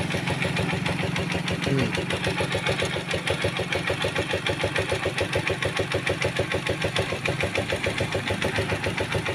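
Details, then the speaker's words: Rusi Macho 150 motorcycle after tune-up and oil change: even single-cylinder idle, no valve tap or rattle; smooth and healthy. "Swabe na, swabe."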